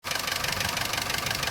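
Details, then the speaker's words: Vauxhall Corsa C at idle after a new timing chain kit, which seemed to make no difference: fast, even, sharp tapping, loud near the back of the engine; top-end and chain noise gone, exact source not found, cause unconfirmed. "All the noise off the top bit here is gone. Noise from the chain's gone. This sounds like it's coming from the back here."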